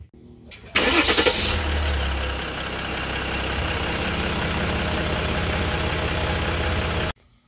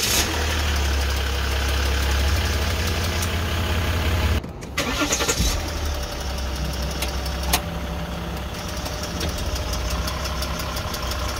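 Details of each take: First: 2014/2015 Jeep Grand Cherokee 3.0 EcoDiesel, about 130,000 miles, after replacing the failed transfer case control module: a short crank, quick catch and steady idle with the earlier clicking gone. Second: 2014-2015 Jeep Grand Cherokee 3.0 EcoDiesel, about 130,000 miles, makes sharp irregular clicks at a low diesel idle on startup, with a Service 4WD warning and hard shifts; owner believes the transfer case control module is failing.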